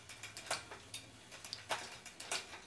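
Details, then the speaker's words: Shimano 2x12-speed Di2 road/gravel groupset with rear derailleur deliberately misadjusted for demonstration: irregular sharp ticks and rattles while shifting, worse in some gears, as the chain contacts the next cassette cog; rear derailleur misalignment needing adjustment. ">> In some gears more, in some less. >> Very cranky noises. This is not good."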